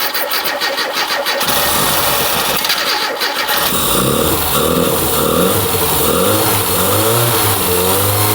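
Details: Mini Cooper barn find parked for years. A seized alternator that had been causing smoke was identified. The engine then cranks, catches and revs freely with throttle blips, running steadily with no knocking, and the oil pressure light goes out.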